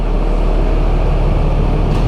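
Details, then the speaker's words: Stone-cold 12-valve Cummins in a service truck, just after a cam and front cover job, fan clutch kicking out: a loud, steady low diesel rumble with an even idle beat and no knocks or misses. It smokes a little; owner suspects slightly weak nozzles. "Stinking son of a gun. Boy, she sure sounds good"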